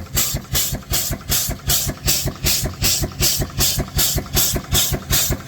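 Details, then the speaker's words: Steam engine charging a 36 V lithium iron phosphate battery at about 30 A, first work in a long time: steady chuffing about 158 a minute with continuous hiss; steam leaking past blown piston rod packing, to be fixed. "Got a little leak there. It's first time this engine's done any work in a long time. We definitely need to deal with that packing."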